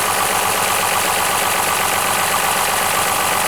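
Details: Lexus RX 330 with 3MZ-FE V6, running unevenly after a belt replacement, high oil consumption reported: harsh, rough running with about four loose knocks a second; teardown shows a worn, sludged engine with knocking.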